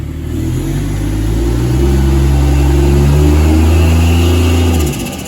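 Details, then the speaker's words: Ford FG Falcon G6E Turbo six with intake upgrade, centre muffler delete, turbo oil feed line: deep even note rising smoothly when stalled up against load, dropping back cleanly; sounds healthy. "oh yeah go again sounds like a turbo car sounds like it should beautiful"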